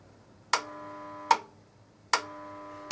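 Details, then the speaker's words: Kiln starting its O1 steel stress-relieving cycle, elements beginning to draw current: sharp metallic ticks about every 0.8 seconds in a quiet room; normal heat-up. "That buzzing of the elements drawing the current."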